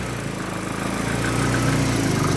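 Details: Nissan 300ZX with KA24DE swap on a new Link Fury ECU, just after first start: idle steady but soft and dull, with a lazy, muffled beat; ignition timing set well retarded.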